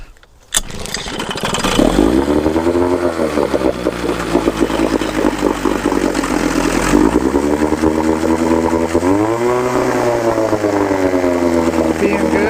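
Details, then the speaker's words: Merc 110 9.8hp two-stroke outboard in a test barrel, in neutral, already warm, idle mixture screw set about one and a half turns out after cleaning: fires right up, revs climb and drop, settles into an even healthy idle; no leaks. "sounds good yeah a little residual fluid down there"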